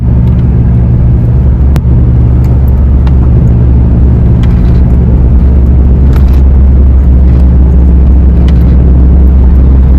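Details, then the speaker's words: 2019 Ford Fiesta at about 50 mph: steady low drone under road noise, louder toward the rear, fading when turning right or changing lanes; worn rear passenger-side wheel bearing. "If you go to the back, it picks up more. It's louder. So that tells me that the problem we have is at the back of the car. It's the rear passenger side wheel bearing."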